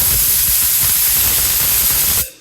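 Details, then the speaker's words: Automatic tank drain on a newly installed shop air compressor, only the tank pumped up with the system shut off: loud sharp hiss of air and water bursts for about two seconds then cuts off cleanly; normal drain blow-off. "that thing is going to go again it's loud where is it it's coming anyway here it goes"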